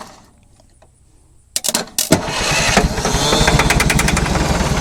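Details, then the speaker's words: Scrapyard diesel forklift being revived: after a pause, sharp starter bursts then steady chug about four beats a second, building but never catching cleanly; keeps cranking without starting. Original starter later rebuilt. "nó sẽ bắt đầu một chút nhưng ừ thế thôi nó sẽ không lật hết bộ khởi động đó không hấp dẫn lắm"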